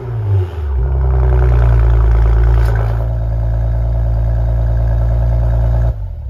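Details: Maserati Ghibli after exhaust valve rattle repair: deep, steady petrol exhaust note swells with a brief rev, then settles and cuts off cleanly; rattle had come from exhaust valve clearance.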